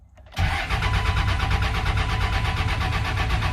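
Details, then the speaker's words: 1999 Cummins 24-valve diesel, sat two years, first start attempt: lift pump priming while the starter spins it with a rapid, even churning that never fires; crank no start, likely still short of fuel, fired shortly after. "Okay, the lift pump running now. Try it again. Lift pump still running. Come on, sweetheart. She ought to be getting close."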